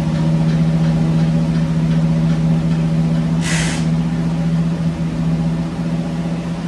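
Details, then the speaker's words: 1965 Cadillac Coupe DeVille, off the road about 15 years, oil not yet changed, on jack stands, shifted into gear (only reverse engaged): steady, smooth drone with no hunting at a brisk speed; idle too high. "still feel like it's islanding a little high I got to figure out a way to bump that [Music] down"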